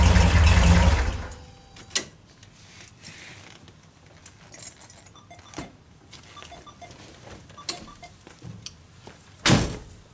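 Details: 1974 Karmann Ghia with dual IDF carbs, after starter repair, cranks quickly and evenly for about a second with solid churn; starter engages every time and spins faster than before.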